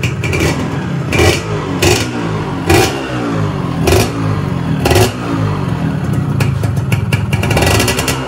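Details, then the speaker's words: Yamaha 125Z two-stroke at first run after reassembly, 25 oversize block: crisp blips rising and settling cleanly, with slight piston noise. Normal revving. "Kita coba gas. Nah, ini ada bunyi dari piston, teman-teman, dikit. Ini kalau realnya dikit ya."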